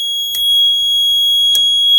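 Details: 1998 agent release (FM200 suppression) fire alarm panel activated by pull station: steady high-pitched alarm tone with two sharp relay clicks about 1.2 seconds apart.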